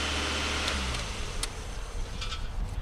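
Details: Car whose battery had died: the engine cranks fast, then settles into a steady, even idle with a smooth low rumble and no knocks, misses or rattles. Runs normally, before the charging system and alternator are checked.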